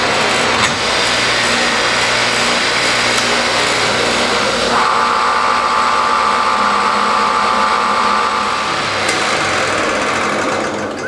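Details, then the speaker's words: Triumph Spitfire overdrive gearbox on a motor-driven test stand: a steady whir with tone steps as it shifts through all four gears, no grinding even at higher rpm, so the synchro rings are working. "you want to listen for any sort of grinding noises that's an indication that your synchro rings aren't working appropriately but even at higher rpms we made barely any any noise at all so it's shifting smoothly that's good"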